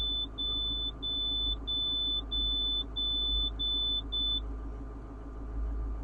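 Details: Diesel bus, first start about 24 hours after a shop repair of a crank-no-start: about nine short high beeps a second apart over a steady low idle; normal start-up warnings with the engine running.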